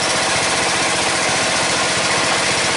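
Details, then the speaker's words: Red lawn tractor, 14.5 Briggs & Stratton, after fuel line replacement, breather on: fast even single-cylinder putter holding steady idle, no misses or surging; running right after repair. "Looks like that was the problem. So red tractor's back up and going again."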